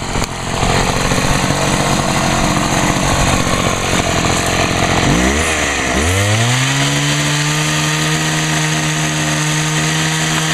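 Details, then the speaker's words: Homelite HT-21 hedge trimmer two-stroke after carburetor rebuild: revs high, dips and dies briefly, then restarts and settles into a steady, even tone, quiet through its small muffler; running fine without carb adjustment. "oh how about that she fired I'll be she's actually running well I'm Ashley surprised how quiet that thing really is"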